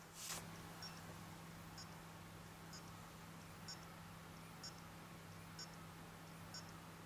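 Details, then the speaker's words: Acer Aspire AS5560 laptop in standby, factory default settings after return from support, microphone held close: a faint whirring click about once a second, like the CD-ROM spinning, over a low hum; the machine runs hot and fails to hold standby. "Every second there's a whirring, clicking sound. Sounds like the CD Rom spinning. So the fault's still there."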